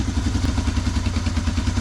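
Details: 1985 Honda ATC 250ES Big Red three-wheeler revived after years in a barn, cleaned plug reused: fires easily into a steady even single-cylinder thump at fast idle with no knocks or misfires; good compression, runs healthy.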